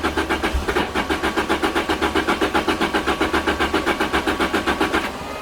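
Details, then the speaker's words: Turbocharged Lotus Elise (275 hp) with a new fuel pump, fuel sock and pressure regulator cranks steadily, about four turns a second, sputters but never catches. Tach reads about 1000 rpm with the engine off. Crank no-start. "i can crank it endless it just doesn't want to start it sputters"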